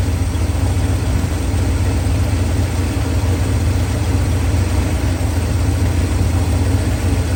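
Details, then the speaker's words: 1969 Ford F250 with ignition timing set far too advanced, after a drive: deep, lumpy idle with uneven low thumping and no smooth rhythm, shown idling and dropped into gear. "okay this truck is way too far Advanced I just took it for a spin and it is running terrible it's idling you drop it into gear watch I'll show you watch what happens even in here"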